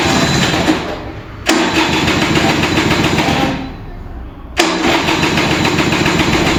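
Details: Vintage Kinetic Honda 2-stroke scooter, early-morning cold start: two long cranking spells, starter whir sagging as the battery drains, weak ignition, engine never catches.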